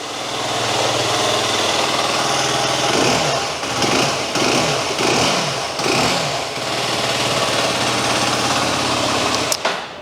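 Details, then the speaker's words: 2022 FB Mondial SMX125 125cc Euro 5 single: steady quiet thrum that dips and shudders slightly as the clutch is let out, mild clutch chatter typical of this engine; normal running. "Now, you'll also hear, when I let the clutch out, a little bit of clutch chatter. That's just the style of the engine."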